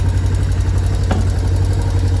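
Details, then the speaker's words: Yamaha Tri-Moto three-wheeler that had sat a long time, after an oil change and valve adjustment: steady, low single-cylinder thump at idle with an even beat and no knocking or ticking. It runs perfectly, a normal idle. "and then readjudge the the valve and it runs it runs perfect"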